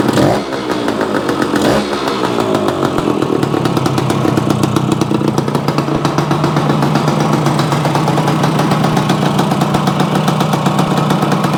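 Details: Yamaha AT-1 to CT-1 conversion two-stroke at first startup after wiring, oil pump priming and carburetor fix, choke on, premix plus oil pump: sharp crackling ring-ding settling into steady even idle after a couple of blips; normal idle.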